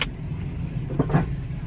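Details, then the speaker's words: Jeep Compass-type vehicle at 150,000 miles with ABS and traction control lights on, rolling slowly over bumps: loud hollow clunks knock through the body. A strut coming apart; horrible suspension noise. "Good lord, that is loud. Okay, let me hurry up and get in the shop. I'll have to inspect it."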